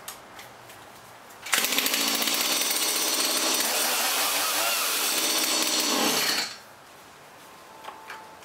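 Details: Stihl MS170 chainsaw that would not start, after new plug, air filter, fresh premixed gas and clearing a fuel line passing little fuel: fires and holds a steady high buzzing run about five seconds, no sputter or surging; normal running.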